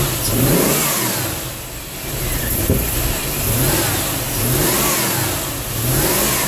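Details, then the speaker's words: 1987 Chevrolet Corvette C4 that sat 25 years, just after fuel pump replacement: catches and settles into a steady run with gentle rises and falls in revs, no knocks or stumbles. Normal running; gas gauge still doesn't work. "The gas gauge still doesn't work but it runs!"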